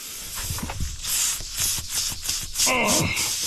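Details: Tire on a Ford LT9000 truck with a Cat 3406B: loud, hissy rush of escaping air in uneven spurts from a hole, likely a nail or rock; owner plans to plug it.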